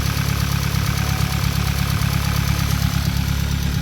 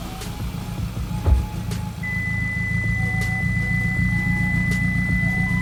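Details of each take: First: Hyundai Elantra with stock engine and big turbo, warm idle: fast even light ticking about four a second over the hum, louder once warm; owner suspects a knocking camshaft bracket holder or valvetrain damage, also an oil leak suspected from the turbo line. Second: Hyundai Elantra stock engine with big turbo, after replacing broken exhaust V-clamps, checking for exhaust leak: even idle building smoothly on revs, no puffing or ticking; no leak, fuel pressure 70, good oil pressure.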